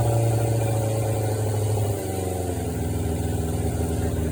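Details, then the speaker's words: 1993 Suzuki GSX600F four-cylinder, carburetor problem, started on a jump starter after reassembly: idle sits too high, then sags and hunts unevenly about two seconds in, a typical intake air-leak sign. "either was too high so let's just settle down let's switch the battery"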